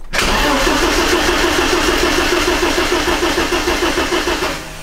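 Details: BMW E30 316 with M40 engine, unstarted about 18 months, fresh fuel added: steady fast cranking about two hundred turns a minute for several seconds; fuel pump heard running while cranking, but engine never catches; no start.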